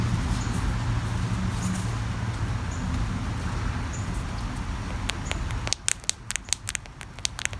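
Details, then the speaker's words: Featherlite string trimmer not priming: flexing the carburettor metering diaphragm gives sharp irregular crackling clicks, showing it is hard and brittle despite lubricating; it needs replacing and likely won't start or will run badly. "can hear that it's hard brittle i've tried to lubricate it soften it up so i'm going to keep doing that a little bit but i really need a new one"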